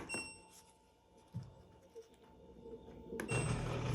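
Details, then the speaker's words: LG direct-drive washer that won't drain, heard in diagnostic mode: thin steady whine, then rough loud buzzing hum as the drain pump engages with nothing blocking it; pump judged bad, to be replaced. Failing drain pump. "There's nothing in there. That pump is bad. So today we're going to be replacing the drain pump here."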